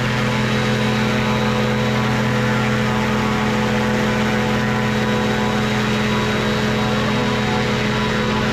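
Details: Two-stroke microlight engine with three-bladed prop at full ground run-up: strong steady high-pitched drone and propeller buzz, no surging or misses, revs held flat; normal healthy high-RPM run.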